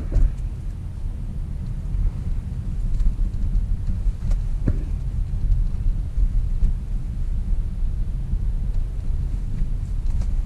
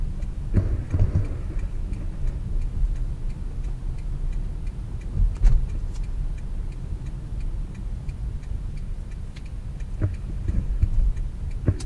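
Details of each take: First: Riding as passenger over potholes on both sides of the road: steady low road rumble with a few dull thumps and knocks as the wheels drop in; suspension noise of unknown cause. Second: Toyota Corolla on a road test after being put back on the ground following brake work, driven to check for noise. Low road rumble with a few soft thumps over holes and no clunks or knocks; suspension sounds tight and quiet.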